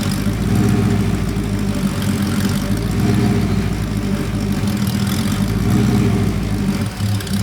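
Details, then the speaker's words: Porsche 928 V8 idling: a hunting, stumbling, lumpy idle pointing to a rich mixture. A slight mixture adjustment made it idle noticeably happier, though not perfect. "it's actually struggling to ID at the moment as well so it's clearly not tuned up particularly well"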